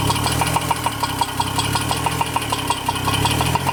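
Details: 2002 Chevrolet Trailblazer, remanufactured engine before break-in checkup, at idle: sharp fairly quick ticking knocks, slightly uneven spacing; knocking source not found.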